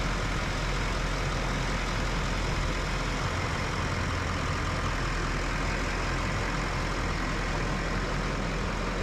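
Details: Duramax LML diesel rebuilt with forged crank, DPS moly pistons and aftermarket harmonic balancer after cracked pistons, first start: steady, deep idle, even and smooth with no knocks or misses; healthy.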